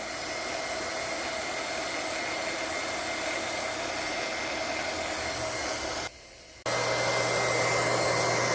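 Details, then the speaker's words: Liberty Model 331 pump after repair and reassembly, primed and pumping: steady, even motor hum with no rattle or grind, briefly cut and restarted, much quieter than before the repair. "She's all primed. Let's go. Much quieter."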